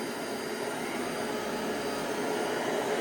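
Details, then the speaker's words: Clean Obsessed CO203 dual-motor upright commercial vacuum with the brush roll power nozzle engaged, sweeping: steady high motor rush with an even whirr from the spinning brush, no knocking or grinding; healthy, with a power-nozzle sound likened to Electrolux. "and we'll do a little sweeping here. And anybody familiar with Electrolux might recognize the sound of that that power nozzle."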